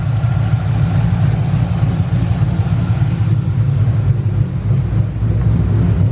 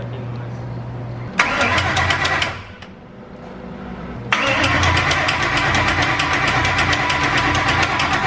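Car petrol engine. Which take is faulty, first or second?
second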